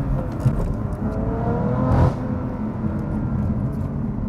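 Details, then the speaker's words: 2018 BMW F80 M3, hard pull then throttle release: steady engine drone, then brief raspy flatulent burble on lift-off; exhaust popping heard on every pull. "That last portion when I'm letting go of the throttle, you can kind of hear like a farting noise. Every time I do a pull, I do notice that noise."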